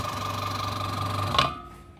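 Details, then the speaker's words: Aqua washing machine spin-dryer motor running left then right: a steady hum with a dry rubbing drone, then spin-down; worn shaft causing friction, weak and shaky spin. "ah ini berputar ya ini putaran ke kiri J suaranya kurang halus ya karena asnya dia udah tergerus ya"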